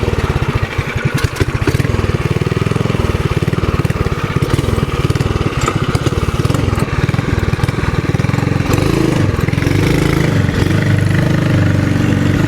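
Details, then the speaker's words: TrailMaster MB200 single-cylinder minibike after Juggernaut torque converter and new exhaust pipe, freshly started: fast even idle, throaty exhaust, runs clean; sounds better than stock, idle may need raising slightly, still governed; normal idle. "sounds better. This pipe doesn't sound bad. And maybe we should turn the idle up just a little."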